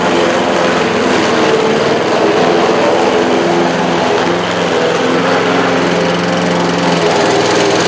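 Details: Bolens 21-inch 4.5 HP self-propelled push mower with new drive belt, cutting grass: steady high buzzing engine note holds speed with no slipping or squeal; runs well under load.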